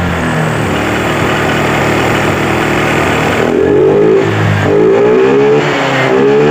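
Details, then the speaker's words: Honda Vario 125 scooter, long unserviced, brake held and throttle pulled: engine revs in surges but stalls and sags near top rpm with no power or response; injection indicator blinking, broken speedometer/speed sensor wiring causing high-rpm power loss. "ya kita matikan lagi kita coba Nyalakan rem dan posisi ditarik gas ya saat RPM tinggi paling atas motor tidak ada tenaga ya tidak respon"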